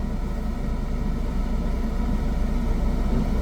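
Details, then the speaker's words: Car on an uphill slope, brake held, no accelerator, clutch released lightly until the engine vibrates: low idle rumble deepens with a slight shudder as the clutch takes up, normal engine load at the bite point. "है अब आपको clutch को release करना है और उतना release करना जितने में कार का इंजन वाइब ट करने लगे उससे ज्यादा ना एक पर कम ना ज्यादा"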